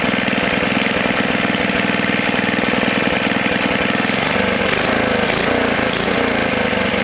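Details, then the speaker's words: Tecumseh HS40 4hp small single-cylinder engine after sitting unused for years, carburetor jet cleaned and reset about a quarter turn out: steady, even rapid beat, no stumbling or surging, holds speed; normal running. "it doesn't want to shut off now yeah that's good so it's a good candidate for either the snapper snow blower or for the mini bike you"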